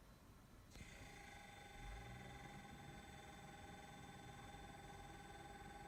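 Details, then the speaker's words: Brand-new Samsung RB31FERNDBC fridge freezer, switched on after delivery and hours of settling: steady loud high whine and whir that never stops; owner suspects a fan with failed bearings or hitting something; unit being replaced. "so I had it on for a while and it didn't stop making this noise sounds like it has a fan in it and the bearings are gone or is hitting something"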